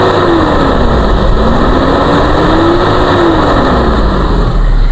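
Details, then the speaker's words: 1994 Toyota Kijang Grand Extra KF40 1.5, dry engine without smoke: loud smooth exhaust roar as revs rise from low to high and fall, no knocks, ticks, metallic noises or misfire; engine normal. "Ini suara mesin masih oke, baik, masih dalam kondisi normal."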